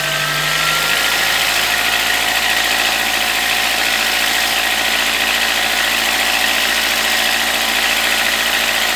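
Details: VW Gol G4 two-door 1.0, recently bought, already decarbonized: rising tone settling into a harsh hissy roar under throttle, noise only when accelerating and normal otherwise; cause unknown, phone recording at the front of the car.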